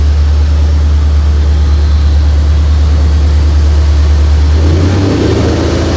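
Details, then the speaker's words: 2004 Mercury Marauder with freshly installed fully forged supercharged 03-04 SVT Cobra engine and brand new headers, thermostat about to open: deep, steady, even low V8 rumble at warm idle, no knocks or ticks; pitch shifts briefly near end; healthy normal idle. "This motor does sound really, really good Whisper quiet."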